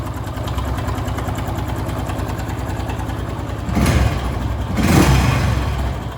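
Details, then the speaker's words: Honda Pop motorcycle after an oil change where the wrong bolt was removed and refitted, idling in neutral: an uneven light rattle over a ticking single-cylinder idle, louder on blips. The cam chain is slack because the tensioner is not getting oil pressure. "Porque tem que dar pressão o óleo tem que dar a pressão no acionador para ele tencionar Corrente Comando certo"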